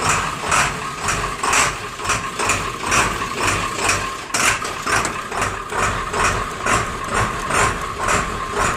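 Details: Diesel Rhino with a slow, hard cold start in chilly weather, fixed with new glow plugs: after a cold start on one glow plug cycle, steady, even idle clatter at about two beats a second with no misses; running healthy.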